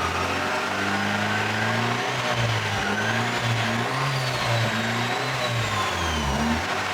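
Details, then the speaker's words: Honda D16 D-series gearbox with new MFactory LSD, first run after cold start and warm-up, shifted through first to fifth and back to fourth: engine pulls and drops back evenly, no whine, grind or clunk; gearbox healthy. "back to fourth. Cool. Alrighty. All sounds good."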